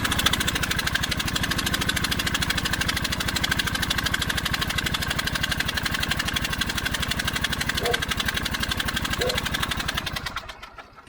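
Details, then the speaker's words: Husqvarna YTH24V48 riding mower, no-start that cranks but acts fuel-starved, unchoked with the throttle on slow: the engine putters evenly for about ten seconds, then fades and dies; the owner suspects a bad fuel pump or a cracked vacuum line starving it of fuel. "All right, these things, you see how it died? It didn't want to stay running, although I didn't choke it, and I have it on slow."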